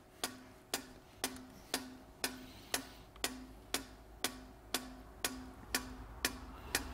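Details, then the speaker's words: EGR valve on a Sykes-Pickavant EGR Valve Activator (30077500) 90-second clean and test cycle, knocking off carbon: sharp even clicks about twice a second, each with a short buzz, as the valve opens and closes fully. "this is actually just knocking off the carbon it's open and closed the job of the machine is knowing if it's going to be open and closed and fully so it's doing all these tests"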